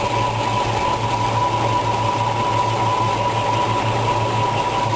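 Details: 1965 Ford Mustang GT, 289 V8, 4-barrel carburetor, 4-speed, engine running while timing is checked with a timing light at 6 degrees: steady even idle with smooth low pulse and faint whine, no misses or knocks; timing right on.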